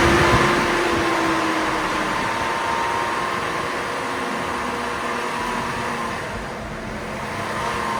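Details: 2002 GMC Envoy with code P0495 and a jet-like fan noise from a bad fan clutch, after the fan clutch replacement. A smooth, airy fan whoosh over the engine that eases off steadily, with no roar; the fan clutch now disengages normally.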